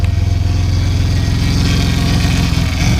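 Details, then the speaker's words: 2006 Honda Accord with rebuilt J32A3 V6, ported heads and turbo, cold start: deep, uneven, loping big-cam idle entering closed loop. Power steering pump whines from a failing O-ring drawing in air. "once it goes into Clos Loop you'll hear the uh the cam uh the real really ly Idol of the cam like boom"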